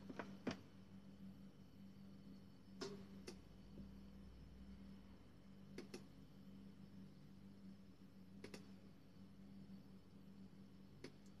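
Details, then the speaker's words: Washing machine on spin test, two beeps from the control board and all lights on: sharp isolated clicks every few seconds from the electronic module, three lights red, motor not starting; cause unconfirmed. "j'ai pas si vous avez entendu c'est sa clique dans le boîtier électronique et et les trois voyants s'allument en rouge"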